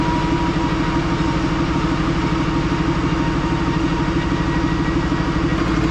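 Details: 3rd-gen diesel with new BD Diesel 90 hp injectors at idle: loud, hard, rapid knocking throughout, white smoke. Owner suspects overfueling injectors; disabling each one didn't stop the smoke.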